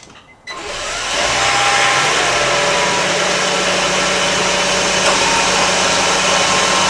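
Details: 2003 Honda Civic Hybrid starting after a new spark plug was fitted. It catches after a short crank and settles into a steady, even hum with no ticking; the earlier ticking and spark plug issue is fixed and it runs smooth and healthy.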